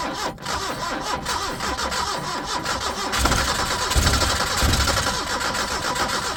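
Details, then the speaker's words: 1980 Chevy Luv truck, abandoned in a junkyard since 1998, first start: cranks about three seconds, fires and picks up to a fairly even idle without knocking; good running little motor, smoking that clears a little. "that's a good running little motor other than all the smoke it's going away a little that's it idling H there it is it runs"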